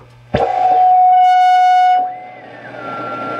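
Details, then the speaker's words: Sparton 931 radio after repair: loud steady whistle holding over a second, then dropping and sweeping in pitch, varying with volume setting; oscillation howl, suspected from new capacitors placed near the coils. "doesn't tune anymore and depending on where i have the volume it actually stops or starts making noises or starts oscillating"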